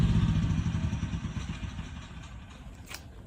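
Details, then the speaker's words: Generator run without enough fresh air: firing pulses slow, falter and fade out as it dies, its carbon monoxide cutoff tripping. "Alright, well, looks like it wasn't getting enough air down in here. I've actually utilized its carbon monoxide shutoff."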